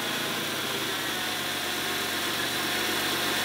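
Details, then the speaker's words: 1991 Oldsmobile Ninety-Eight 3.8L 3800 V6 idling after a tune-up (new plugs, wires, fuel pressure regulator): even, smooth idle with a steady hum and light hiss, no misses or knocks; sounds healthy, slightly smoother than before. "so far runs about this time maybe a little bit smoother you guys just won't be able to see it on camera it's not moving very much at all a little bit better that sounds pretty healthy"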